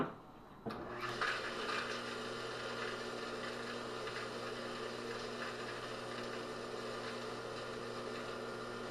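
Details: Craftsman table saw motor after rebuild with bearings freed: brief dragging growl as the start winding kicks in, then steady even hum at full speed; normal startup, though a ticking rattle suspected from the forward bearing.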